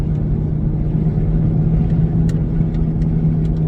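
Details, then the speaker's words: 2003 Pontiac Montana cruising at speed: steady low drone under road noise, louder than tread noise would explain with no bad tread seen; suspected bad wheel bearing, not confirmed; humming noise while driving. "but to me that sounds like a bad bearing. I mean, it sounds the same as if you've got really bad tread, but I didn't notice any bad tread, and it's a lot louder than what I would expect if it was just the tread."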